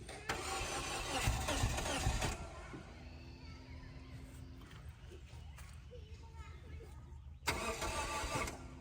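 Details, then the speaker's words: 2004 Scion xB after sitting two years, weak or dead battery, fuel gauge on E: two bursts of even starter cranking with a gap between, never fires; crank no start, owner suspects no fuel. "Poor thing wants to run. You know, it may not have any gas. It's actually on E."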